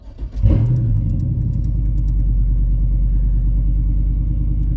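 Engine catches after a brief crank and settles into a steady, even low rumble with no knocks or misses, a healthy cold idle.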